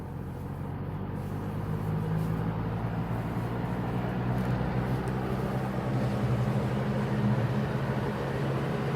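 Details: GE W-25 electric fan, reassembled with its plastic blade after maintenance and a new cord: a low, steady motor hum with a soft, even whoosh of air. The fan runs normally.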